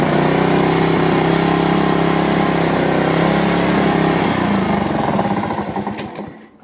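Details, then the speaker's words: Honda HRR2163VXA mower after replacing a missing carburetor spacer and gaskets, cleaning the carburetor jets and checking the float bowl: small single-cylinder engine at steady speed with a slightly uneven, lumpy beat, then shut off; owner says it still sounds kind of rough. "It sounds like it's kind of rough to me, but you know, I'm going to run it around for a while."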